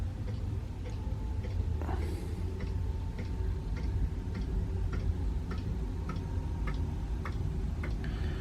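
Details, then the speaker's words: Eberspacher D4 Airtronic diesel heater with Easystart Select controller, first switch-on, set to 22 degrees from 16: steady fan hum with even dosing fuel pump ticks about one every half second; heater starts and runs normally. "Oh no, there we go. She's away. Okay, so the fuel pump's running."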